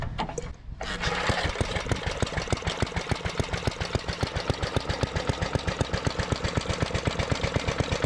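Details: 1973 Briggs and Stratton-powered Giant Vac leaf blower, unused for many years and first found apparently seized, quickly catches then runs an even, rapid single-cylinder putter at steady speed with no misses or stumbles; clean, healthy idle.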